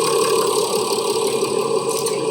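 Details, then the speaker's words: Mercedes ML 350 diesel W166 OM642 after fuel filter replacement: even diesel clatter at steady idle, constant mid-pitched hum, no misfire or knock; normal healthy idle. "Sounds nice and healthy."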